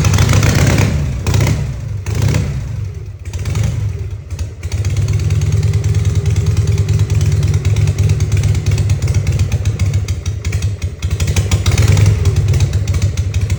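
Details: 1960 Harley FL Panhead, cold. The carb spacer, O-rings and clamps are new, surfaces sanded, timing, points, plugs and float checked. It coughs with no prime and floods after three prime kicks, then pops at WOT before stumbling rough; throttle kills it. Cold hard start, cause unknown.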